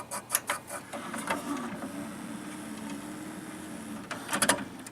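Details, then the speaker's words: Sony CDP-C305 CD changer in shuffle mode: bursts of sharp clicks and mechanical chatter between quieter spinning as it stumbles and skips, apparently only on some discs. "holy crap that sounds terrible there we go now it's screwing up that's what it does I don't know why it does that what it screws up like that"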